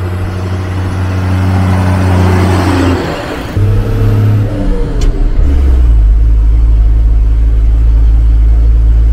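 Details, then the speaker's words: Magirus Deutz diesel camper truck on a main road in Turkey after working hard up a mountain climb: pulling through gear changes with a new, uneven throbbing drone under load, not heard before; engine fault. "On entend un bruit. On entend un bruit qu'on n'entendait pas avant. Bon, ça fait de la musique, mais bon. C'est que c'est pas normal."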